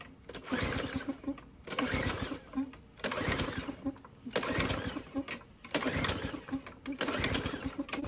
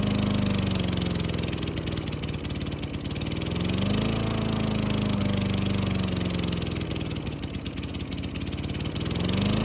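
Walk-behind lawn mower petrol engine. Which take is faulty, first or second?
first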